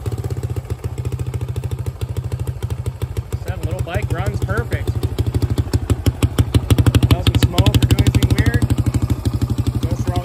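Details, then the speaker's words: 2005 Suzuki DR-Z125 air-cooled four-stroke idling just after adjusting the spring-loaded cam chain tensioner: single ticking about three beats per second over a steady thumping idle; cam chain clatter reduced but still present. "I don't know if you guys will be able to hear it but still a little bit of clatter but it is a lot wider than it was"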